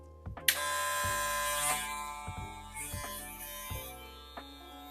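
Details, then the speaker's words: KEMEI KM-1767 hair clipper, 9,000 RPM magnetic motor, tested cutting: loud buzz bogs and stops completely each time the blade is loaded, speed but no torque; motor stalls under load. "mire se detiene se detiene completamente porque es un equipo de motor magnético aquí no tenemos torque tenemos solamente velocidad y Wow es muy ruidoso"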